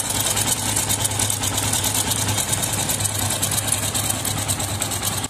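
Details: Yamaha FZS V3, idle with cover removed: busy metallic chatter over steady single-cylinder idle, constant with no throttle change; loose timing (cam) chain rattling, tappet play checked okay, tensioner tightening only reduces it.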